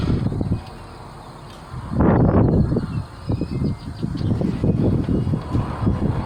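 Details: 1987 Ford Bronco II 2.9 petrol engine after distributor work: long, uneven cranking, pulses around three a second that sputter without catching; wet, flooded spark plugs make it slow to fire.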